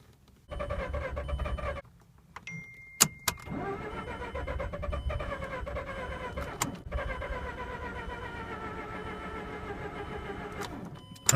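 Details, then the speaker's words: Mazda RX-8 rotary, flooded after being shut off before warming up, on a jumper: repeated long starter bursts that never fire, the turnover slowing as the battery fades. Cranks but won't start. "this is why you don't cut your rotary off until up RXH flood when you fire them up and shut them off"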